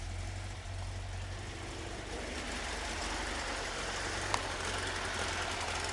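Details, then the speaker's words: High idle around 1,400 rpm on a 1973 VW Super Beetle 1745cc with Dellorto FRD 34B carbs jetted for 1415cc, 041 heads, hydraulic lifters; uneven pulsing beat, left-hand carburetor suspected of not firing cleanly; misfire at high rough idle. "and if you can see that it's idling at about 1,400 rpm which is just way too stinking high"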